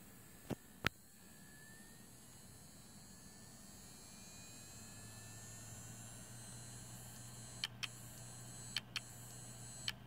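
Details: Seagate Barracuda 7200.11 hard drive: sharp paired clicks at uneven intervals break through the steady hum and whir of the running drive.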